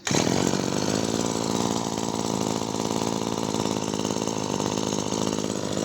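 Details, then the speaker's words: Maruyama CBC20 20cc two-stroke brush cutter after rebuild with new crankshaft bearings and a new ring, rod in good condition, tested without the clutch fitted: steady, even buzzing idle, quiet with no knocks or rattles; healthy. "เครื่องก็จะเงียบไปเลยนะครับเพราะว่าเราเปลี่ยนลูกปืนข้อเหวี่ยงด้วยแล้วก็ก้านของตัวเนี้ยมันมันสภาพมันดีครับมันก็เลยมีเสียงนิ่งๆแบบนี้ได้นะครับ"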